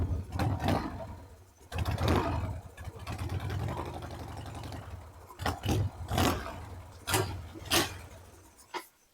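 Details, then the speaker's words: 2002 Harley-Davidson Sportster 1200 with an air/fuel mixture screw problem: the engine catches in uneven bursts, surges and stumbles, then fades out, unable to hold an idle, before the idle screw is adjusted. "She will not idle. Hang on, idling. Do one more half turn on this thing."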